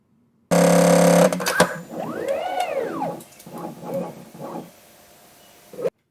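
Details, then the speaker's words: ER20 2.2kW CNC router spindle, DIY automatic tool change collet-tightening actuator: stepper motor stalls out on the tightened collet nut, making a buzz, whir and rapid chattering bursts like an impact driver; normal, does not harm stepper, gearbox or spindle. "you know again the stepper motors just stalled out and that's what's making that chattering sound and that's perfectly fine it's not going to hurt the stepper motor or the gearbox or the spindle"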